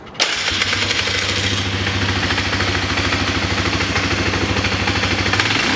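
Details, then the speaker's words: Polaris Sportsman 500 with CV carb, which bogged with the airbox on, now fitted with a 2001–2002 style snorkel airbox: single runs steady and even at fast idle with worn clutch clatter underneath; engine runs cleanly. "runs excellent now it's a sticker a couple burnouts in the parking lot there"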